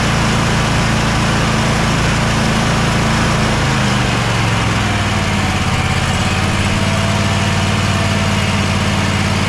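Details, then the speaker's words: Bad Boy zero-turn with Kohler 7000 series KT745-3013 twin, after replacing the ignition coil: steady, even putter with no misses or surging, blade engaged, runs perfectly for about half an hour; earlier it bogged and lost power under load. "so we figured out the issue the ignition coil definitely needed replace we are going to go ahead and replace the wiring harness it's a few days away though we're going to put this back after running it for about half an hour everything worked perfect blade still engaged"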